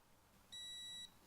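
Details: Brake fluid tester on fluid from a long-open cap on a 1982 Chevy S-10 pickup: one clear, high, steady half-second beep in a quiet room as the reading finishes, showing 2.2% moisture, better than expected.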